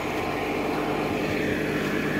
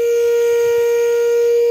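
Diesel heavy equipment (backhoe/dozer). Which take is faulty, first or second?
second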